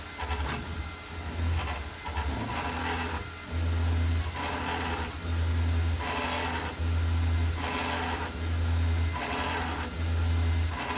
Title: Creality Ender 5 Max Grinding Noise